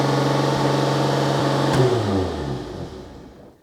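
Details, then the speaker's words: 1987 Renault 25 V6 Turbo started completely cold after a contact-cleaner spraying attempt: steady fast idle that never settles, then shut off and winding down; idle still too high, the fix made no difference. "That's a high idle still."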